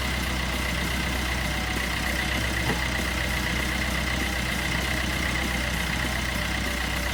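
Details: 2012 Peugeot Bipper diesel after timing chain kit replacement (guide had almost broken off, was noisy): even idle clatter with steady faint high tone, no front rattling; ticks over smoothly.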